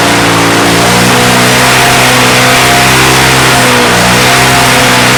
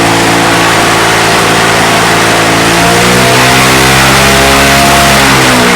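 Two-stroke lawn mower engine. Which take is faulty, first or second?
second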